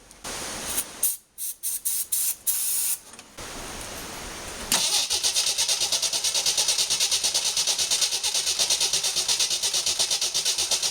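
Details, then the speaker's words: 1981 Jeep CJ8 Scrambler with AMC 258 inline-six, just converted to Ford TFI ignition, carb spray added: steady starter cranking about three beats a second, never fires; no spark from the coil, crank no start. "It seems as if there's still no spark. I may have to do a few other things to see what I can figure out."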